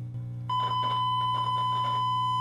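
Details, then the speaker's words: 1962 RCA Sound Cartridge Player after repairs (multisection filter and wax paper caps, faulty resistors, selenium rectifiers replaced): signal-generator tone injected into the volume control of each channel comes through steady and pure with no buzz or crackle; both amplifiers now working. "Let's now try injecting a tone into the amplifiers to see how clear our sound is. I'm going to use this signal generator to input a tone into the volume control for both channels."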